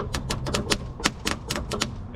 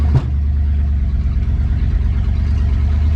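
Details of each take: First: 1963 Ford Galaxie that won't start: rapid sharp clicking from the starter, about four clicks a second, with no engine turnover; the battery may be dead or the starter stuck. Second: 1963 Ford Galaxie V8 on the road after installing a new distributor: deep, steady rumble with no misses, stumbles or popping; the earlier breaking up and putting is gone, engine running smoothly.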